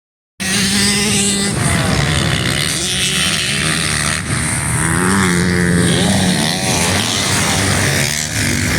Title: YZ 450 after rebuild